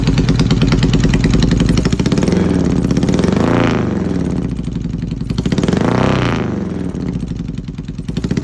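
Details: Yamaha XS650 twin running an old Hitachi TCI ignition: revs up and drops with an uneven, stumbling beat and irregular pops; misfiring at idle and on revs, cause not confirmed.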